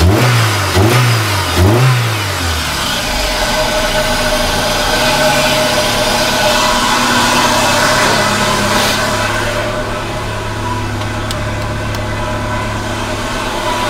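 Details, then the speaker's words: Toyota Celica after a no-spark repair, flooded engine, weak battery: a few quick blips, then revs held high and fairly steady to burn off severely fouled spark plugs. "What we have is some severely fouled spark plugs. I'm holding the RPM up to let it clean the plugs off."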